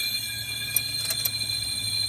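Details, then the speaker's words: 1963 C10 with a stovebolt straight-six, hot after a drive, leak-down test on cylinder 5: steady high airy hiss of air going straight through, not sealing; tone unchanged covering the intake, suspected exhaust valve or very bad rings. Cylinder leak-down loss. "All right, now this sounds like either exhaust or just really bad rings."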